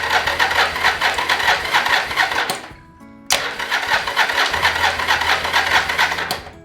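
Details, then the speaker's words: 1981-1983 Yamaha XV750 Virago after starter system repair (starter motor, starter clutch, solenoid, idler gear): two bursts of fast, even whirring crank, about three seconds each, not yet firing; starter and solenoid sound healthy. "it actually is probably a good thing because you can hear the actual starter system and the solenoid doing what it's doing. Sounds amazing, like so much better than what it was before."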